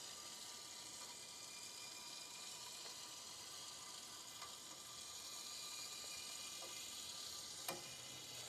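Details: Slab leak under a house floor: faint, constant high hiss of pressurized water with a few soft ticks and slight knocking in a quiet room. Water is seeping up from beneath the slab, apparently near the last two hot lines toward the kitchen.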